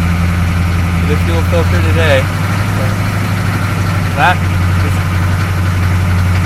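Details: 6.2 diesel running rough at idle after hard starting that needed repeated cranking even with throttle, visible smoke; deep, slightly uneven low throb with no steady rhythm. Cause unconfirmed; owner plans to replace the fuel filter next.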